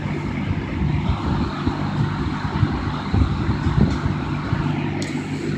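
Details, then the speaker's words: 1960–61 GE W-15 variable-speed box fan on full throttle with pilot lights on: steady low hum under an even rush of air, no ticking or rubbing. Runs smoothly at top speed. "you can see the pilot lights on yeah we'll give it full throttle"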